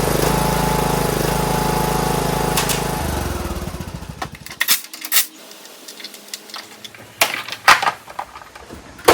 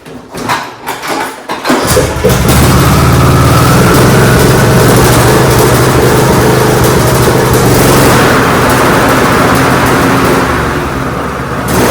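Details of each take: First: John Deere D105 lawn tractor Briggs engine after carburetor cleaning and hooking the spring back up: steady, even single-cylinder drone for about three seconds with no surging before shutoff, sounds way better. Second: John Deere D105 lawn tractor Briggs engine with 42-inch deck, cranks and catches then surges, speed rising and falling instead of holding steady, suspected of causing deck vibration. A new spark plug didn't help; a broken carburetor spring was found.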